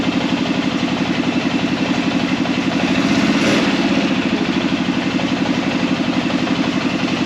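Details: Arctic Cat Prowler engine just rebuilt with new pots (cylinders), first start after priming the carb: steady idle throughout with one brief extra noise midway, no misfire or knocking; runs normally while air in the system still needs bleeding.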